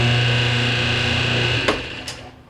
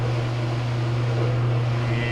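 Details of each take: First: Whirlpool conventional (non-high-efficiency) top-load washer, model RAX7245KQO, won't spin; steady electric buzz from the motor with no spin during spin cycle, then a couple of clicks as it stops; diagnosed as a broken motor coupling between motor and transmission. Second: Whirlpool RAX7245KQO conventional top-load washer, spin test after motor coupler replacement for a no-spin/buzzing complaint; steady, even low hum with no buzzing, knocking or grinding. Spin works normally.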